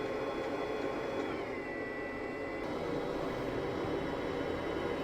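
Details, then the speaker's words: Narrowboat Webasto diesel heater after fuel filter cleaning: steady burner hum, then the tone suddenly drops as the fuel pump ticking stops; owner suspects it sucked in air through the filter and is about to shut down. "Okay, that sudden change in the sound of the pump, well, the sound of the Webasto, the stopping of the pump, could be a problem. Could mean that it's just sucked in a load of air and it's going to shut itself down."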